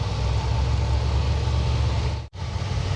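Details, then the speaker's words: Cadillac 472 with RV cam, rebuilt A/C and A6 compressor, idling with A/C on auto in the high 60s on a 60°F day: a low, even rumble that stays steady with no dip or hunting under compressor load. Normal idle. "So and the car is just sitting here idling like it basically doesn't know that that A6 compressor exists. This 472 that scoffs at that A6 compressor with this RV cam in it."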